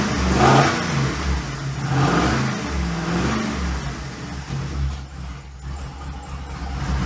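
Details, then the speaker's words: 6.0 LS V8 in a 2008 Pontiac G8 chassis swapped under a 1950 Chevy, with race parts, not yet tuned: lopes unevenly, surging up and sagging every second or so and never settling; a hunting idle the builder blames on the big lumpy cam and missing tune. "the good news is Big lumpy cams are known for not idling great and since I haven't done any tune yet that is 100% my problem"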